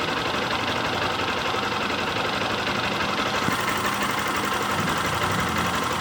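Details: Honda CG Start 160 motorcycle: light, thin idle with a faint irregular tapping about three times a second over the exhaust; owner unsure if normal, source not pinned down. Engine noise at idle.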